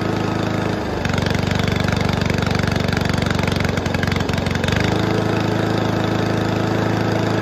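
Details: Toro commercial 22295 mower with a Honda engine, sat all winter, started on full choke with old fuel in the carburetor found to be the cause. It catches and settles to an even, smooth putter; fixed, runs healthy.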